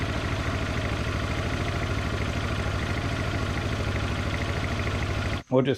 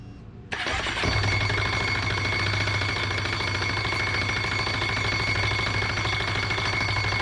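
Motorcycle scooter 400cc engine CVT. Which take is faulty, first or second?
second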